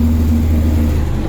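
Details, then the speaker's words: Steady, even low diesel drone from an International DT466 with automatic transmission, about 83,000 miles, bought at auction, while driving with a light flatbed load; no knocks or misses, runs and drives extremely well. Normal running. "well i got to tell you it runs extremely well brakes are good steering's good transmission"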